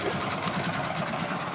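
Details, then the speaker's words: Hero Glamour single-cylinder motorcycle idling without battery or wiring kit, magneto power routed through the rectifier with earth connected: steady, quick, even beat, no misses or knocks; healthy idle. "చూసారా బండి start అయిపోయింది. అంటే మనకి battery లేకుండా కానీ start చేయొచ్చు."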